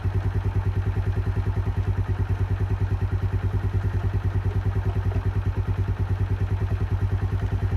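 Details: Keeway 125cc with Suzuki GN/GS engine, running after a replaced battery cured the no-start: even single-cylinder thump at about three beats a second, steady and smooth, no knock or clatter; sounds healthy, normal idle.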